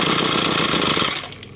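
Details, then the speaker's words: Ryobi ES30 two-stroke string trimmer after carburetor cleaning, idle screw adjusted: raspy buzz runs about a second then sags and fades; idle set too low, nearly stalls. "well we went too low on the troll so let's try again"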